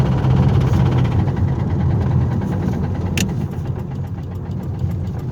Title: driving with rod knock